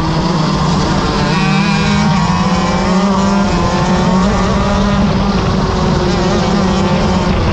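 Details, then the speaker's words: Shifter kart racing at NOLA nationals, heat race at speed; steady low howl under the engine drone, driver blames the bearings. "I gotta fix the bearings it's my bearings I can hear it howling"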